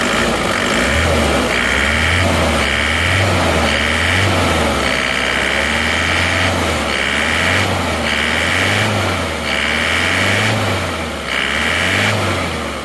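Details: Isuzu Panther turbo diesel with original liners replaced or re-used, same oil, after 50 km drive, warm: steady idle with gentle pitch rise and fall, no knocking or rattles, no smoke at idle; healthy rebuilt engine.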